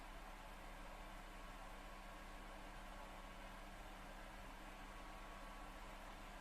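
Constant airy whoosh with a faint steady hum that never changes; console fan running hard, cause not known.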